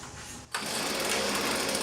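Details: Hitachi RB24EAP two-stroke leaf blower, whose idle rattle came from a loose 1/2" fan nut fixed by tightening: bursts into a steady high buzz with no rattle or knock riding on it; normal idle.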